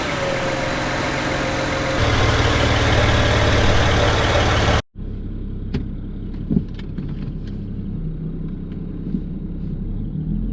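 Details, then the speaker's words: 2007 BMW 335i N54 after twin turbo replacement; the old turbos had rattled like a wastegate and lost all boost. Now fitted with VRSF downpipes and outlets and new inlets. Strong start and rev, then a steady, even idle with a few light background ticks; running healthy. "came out pretty good uh i'm surprised that it's running the way it's running"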